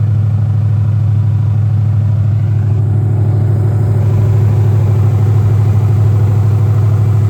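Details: Chevrolet Monte Carlo SS first fire-up after engine rebuild (about 300 hp, no cam), in neutral: deep, even V8 burble at steady idle, regular firing, no knocks or ticks; fires right up and sounds great, oil pressure and fans working.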